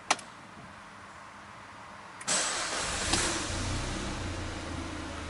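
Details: Peugeot 308 2.0 16-valve with no-start fault and ECO mode, warm restart after 5 minutes running, engine temperature 71°C: brief starter whirr, catches within a second, settles to smooth even idle; clean warm start.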